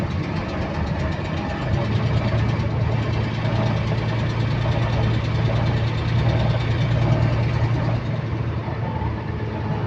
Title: Repetitive Clicking Noise In Sync With Engine Speed | GAL WVL358 On Bus Route 486 (2)